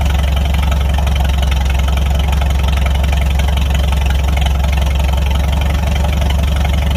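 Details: Farmall 300 Row Crop tractor idling after the rust-holed exhaust manifold was replaced, the muffler refitted and the clutch adjusted: deep, steady thump about three beats a second with an even, solid exhaust note and no misses. A normal, healthy idle.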